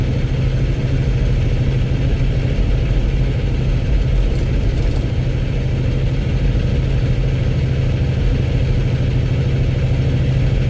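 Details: Cummins X15 diesel at idle: loud, harsh rapid knocking clatter over deep steady rumble; owner wonders if low oil or rod knock, unconfirmed.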